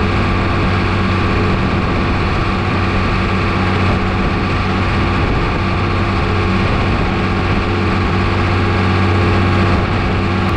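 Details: New Holland TB120 tractor diesel after the injection pump was retimed to 29 degrees: deep, steady drone at even speed with no knocks, misses or hunting; running normally.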